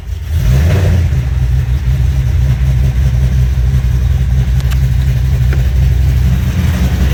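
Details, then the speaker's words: Foose/GT500 supercharged V8, fully assembled with exhaust and wiring hooked up, fired right off on the earlier tune that idles; catches quickly into a strong, even rumble with smooth revs, no knocks or misses; oil burn-off mostly cleared, sounds healthy, tune still to be dialed in. "sounding pretty good. I had some oil and stuff burning off before, but it looks like that's mainly cleared out. But she is sounding good and she does sound healthy."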